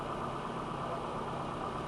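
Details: 1995 Nissan Altima 2.4L, which had stalling and no-start, idling after a used distributor was fitted; the crank signal no longer drops out. Smooth, even idle with a steady hum and no misses or stumbles. Normal idle.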